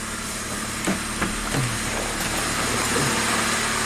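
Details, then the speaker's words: 1998 Saturn with a crank no-start, fired up only with the throttle floored: it holds a slightly uneven idle with a few stray clunks and a little smoke at the rear; cause still unknown. "Well, I just floored it and it fired up. Let's see if it'll stay running."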